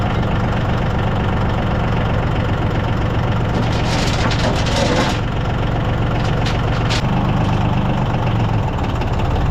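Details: Yanmar diesel (used to unload a hit-and-miss engine) cold-started at about 48°F without glow plugs or thermal start: fires unaided and settles into a steady, even low idle clatter, no misses; healthy.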